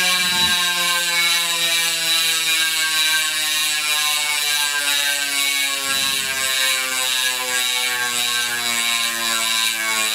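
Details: Chris King ISO disc stainless rear hub, 150x12mm, with 9-speed Shimano XTR M970 cassette, freshly broken in after about 5 hours or 50 miles, freewheeling and back-pedaling: loud fast buzzing ratchet dropping in pitch as the wheel slows; healthy pawls.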